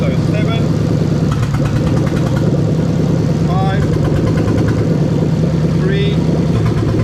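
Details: Toyota 3UZ V8 from a 2000–2003 LS430 running on the stand on a newly built harness test: steady, even burble holding a smooth idle with no misses or ticking; normal idle.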